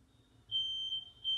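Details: Household smoke alarms being tested with smoke in a new house: thin, high-pitched tones come and go at low volume. The alarms sound far too weakly and only the downstairs unit works properly; all are due to be replaced.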